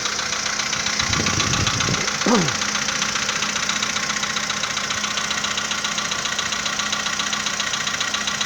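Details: 2015 VW Polo Sedan, cold morning start: a steady, quick ticking knock at about three to four per second over the idle. The owner asks whether it is piston knock; the cause is unconfirmed.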